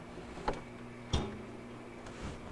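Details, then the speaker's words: Kenmore refrigerator 10661982100, compressor at rear shut off at control, hum stops with click and single dull knock; compressor knock on shutdown, compressor suspected. "I don't know if you caught that there was just a slight little knock uh a lot of times it can be much worse where it knocks over and over again"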